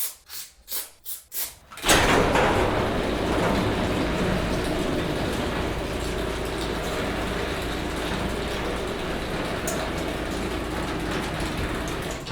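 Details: Chain-drive garage door opener after lubricating spring coil and rollers and tightening the chain: a few short clunks, then steady even rumble as the door runs, no squeak or scraping from rollers; normal operation.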